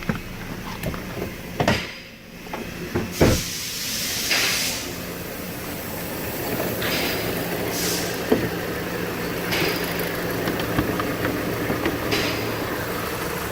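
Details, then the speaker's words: Dodge Caliber 2.0-litre four-cylinder, towed in with codes P0303, P2174, P0218, P0335, idles rough and shaking with a lumpy beat under intake hiss; misfire suspected in cylinder 3 despite a new coil, fixed by replacing two injectors. "look at that y'all see that engine shaking yes there's a misfire okay whoa"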